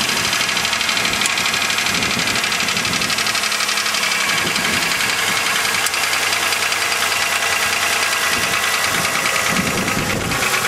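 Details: 2000 Chevrolet Malibu 3.1L V6 with 145,000 km at idle: rapid, hard knocking over the idle with harsh clatter throughout, worst cold. Suspected piston slap, unconfirmed; gasket replaced, flush and thicker oil didn't help.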